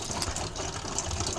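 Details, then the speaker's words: 2008 Bailey Ranger 500/5 caravan, hot tap opened to fill the Truma water heater: uneven gushing and spluttering water with bursts of trapped air for the first minutes; normal air purging. "so you may get a bit of coughing and spluttering and a little bit of air in the system for the first three four five minutes"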